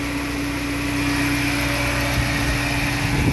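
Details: VW AP 1.6 flex (G3 generation) petrol engine that had hydraulic lifter tapping and low hot oil pressure, warm at 90 °C and idling after lifters pumped up: smooth, even hum, no lifter tap. Normal warm idle.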